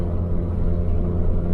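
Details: After fixing a boost leak behind a 30FF no-boost code, a BMW 335i N54 pulls hard with a deep, even roar and no hiss or flutter. Boost builds cleanly to about 15 psi and the engine sounds healthy.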